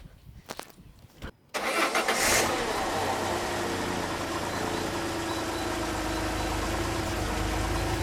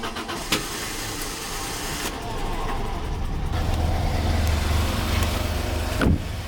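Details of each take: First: Peugeot 605 3.0L SV with PRV V6 (petrol): engine cranks, catches and settles into an uneven, slightly lumpy idle; leaking fuel pressure regulator diaphragm passes much fuel, pressure too high. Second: Peugeot 605 3.0 V6 PRV idling after fixing leaks: steady, fairly even low idle, no puffing or ticking; much improved, though owner suspects injectors as it rarely runs on all 6 cylinders, especially at full throttle.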